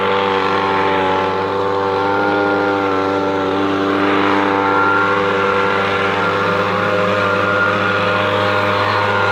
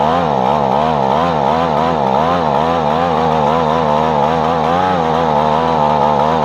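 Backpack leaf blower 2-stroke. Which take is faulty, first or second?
second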